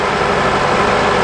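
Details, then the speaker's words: 2003 Honda Accord 2.4 after alternator replacement, idling after running a while (not a cold start): smooth, even hum with no whine, knock or rattle. Charging is fixed and the alternator is no longer hot. "All right, guys, so as you can see, our alternator's in, and we are no longer having an issue with charging. But this is working properly."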